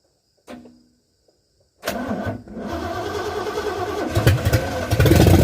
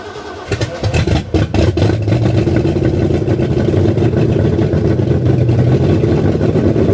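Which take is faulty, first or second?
first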